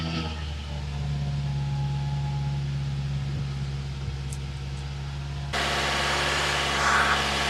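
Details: 2011 Nissan Rogue 2.5L four-cylinder idling after valve cover assembly and spark plug replacement for an oil leak: even, steady idle with no misses, knocks or ticks; sounds healthy and smooth.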